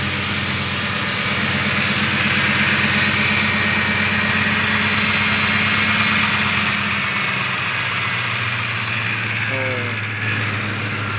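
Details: 2006 Ford F-150, previously a no-start traced to a faulty transmission range sensor: steady, even idle with a smooth low hum and no knocks or misses; engine running healthy.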